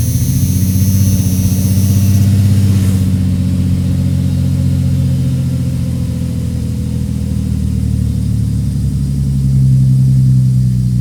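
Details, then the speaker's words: 1989 Jeep Cherokee XJ 4.0L (Renix) cold start after air idle control valve replacement: short high rev then settles smoothly to low even idle, no hunting; previously idled 2,000–2,500 rpm for up to a minute; high cold idle fixed. "so it did the initial you know higher revving like a normal car would do and then came right back down so there you go"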